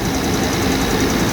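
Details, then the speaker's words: Jaguar engine after cutting off a seized-pulley V-belt and fixing a vacuum line: steady, even idle with no knocking, squeal or bearing growl, much smoother than its former shaking idle. "All right, I'll turn it off because I don't want to yell on camera, but the engine idles a lot smoother than it used to. You could visibly watch it shake back and forth. It would shake in the car when you were sitting in idle, and now it's a lot smoother."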